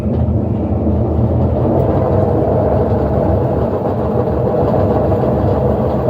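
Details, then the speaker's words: General Electric washer in spin, with its faulty timer advanced by hand because it won't progress. A loud, steady low rumble and whir runs with no let-up and is very noisy. Maintenance is needed; the likely repair is bearings and seal plus a timer check. "entonces la lavadora ya hizo su exprimido avanzando el temporizador y como pudimos darnos cuenta hace mucho ruido al estar exprimiendo"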